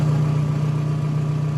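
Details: 1999–2003 VW Jetta/Golf/New Beetle 1.9 ALH TDI diesel with electronically controlled Bosch VE pump, after retorquing the injection pump sprocket bolts during timing adjustment: steady low diesel idle with an even hum and no knocks or misses.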